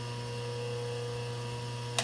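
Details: Rewired lathe's single-phase motor on new rubber isolation mounts, run forward and then reverse; steady low hum with clean even tones, no knocking or rubbing, much quieter than before, then a click. Normal motor running.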